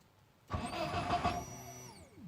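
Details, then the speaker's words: BMW E36 318 no-start, spark present: starter cranks briefly at a steady pace but the engine never catches; the pump hums but no fuel is delivered because the fuel pump wires were swapped. "насос гудит смотри бензин не идет"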